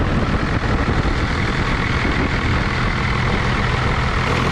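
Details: 1989 Dodge Ram D250 12-valve Cummins turbo diesel with VE pump, idling after new alternator, water pump and thermostat while warming to operating temperature. Heavy, steady, even clatter with no misses or knocks; idles normally.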